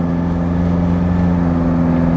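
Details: Toyota Kijang Innova 2KD diesel automatic accelerating on a straight road after replacing the damaged left engine mount: a steady, even low drone with no knocks or rattles. The earlier transmission vibration is gone, and acceleration is smooth and healthy.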